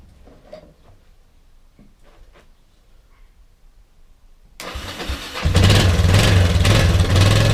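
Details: Kawasaki KLF300 Bayou quad from a scrap yard, new spark plug fitted and fuel put in the cylinder: cranks, catches and settles into a steady, even single-cylinder thump; starts and runs.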